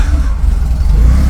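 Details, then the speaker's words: 40-year-old Porsche 944 that would not start, after fuel pump reinstalled following four days of work: catches to a deep steady even rumble; fuel pump was healthy, fault was the relay. "The fuel pump is perfectly healthy. Dude. So fuel pump was good. It looks like it was just the relay."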